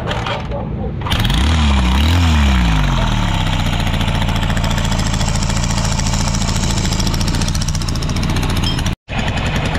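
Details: Newly bought Honda XR150 that was very noisy, after oil change and carburetor refit: single-cylinder engine starts, blips, then settles into steady, even idle with no knocking.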